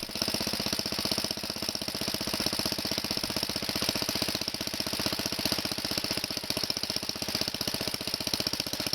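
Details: Kohler single-cylinder tractor engine after recoil starter fix, warming up from cold start on half choke with last year's gas: crisp, regular firing beat, no misses or knocks; normal warm-up running.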